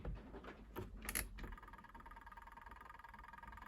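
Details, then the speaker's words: Good Ideas XPB20-88S twin tub washing machine timer, on normal setting: faint steady timer clicking over a weak motor hum while the machine barely runs; timer switch feels sticky, cause unclear. "can hear the timer clicking something happened there oh it's doing something maybe it does work"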